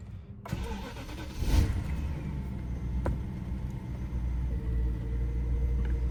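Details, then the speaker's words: BMW V8 after a tune-up with new plugs on all eight cylinders, oil change and air filter: crank, catch, brief rev flare, then a low, very steady rumble with barely any vibration, normal idle. "Super clean idle. Barely any vibrations at all."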